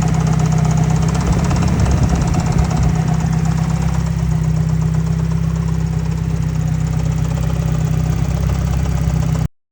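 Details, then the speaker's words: 1990 Mazda Miata, about 200,000 miles, hard-driven, after standalone ECU flame tune: idling with steady loud knock about four per second over rough rumble; suspected piston ring, spun bearing or exhaust valve, unconfirmed; engine to be pulled. "So, I'm pretty sure you guys could hear that knocking. And unfortunately, sounds like there is a piston ring dancing around. Possibly a spun bearing."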